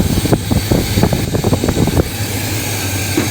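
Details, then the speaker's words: Brother's square-body short-box truck V8 with carburetor, during ignition timing adjustment with vacuum gauge: idle stumbles with uneven lumpy firing then settles; timing seems slow, sounds much rougher; rough idle. "That seem That seems like it's slow to me. That sounds a lot rougher."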